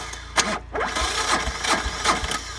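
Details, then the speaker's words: 1999 Polaris D455 diesel ATV, two batteries, sat unused all winter, no glow plugs, cranked on a 1000 amp compact jump starter; strong, even, brisk cranking with a steady compression beat, no catch yet, healthy turnover. "Alright guys, so this is a 99 Polaris D455 diesel. This thing turns over mean."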